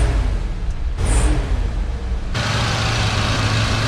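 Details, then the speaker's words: 1978 Ford F-100 after new Motorcraft parts, idling up to full operating temperature: steady low idle swelling into a strong, even rev that holds without stumbling or dying; normal idle and rev. "I'm gonna let this thing idle here for a little while and get all the way up to normal operating temperature and we'll see if it keeps running"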